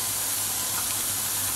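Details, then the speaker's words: Mamod SE3 toy steam engine, recently cleaned up and tightened, coming up to steam: a constant sharp hiss where the washer on the safety valve lets steam past, plus a slight leak around the whistle. "the the wash on the safety vals letting a bit of steam"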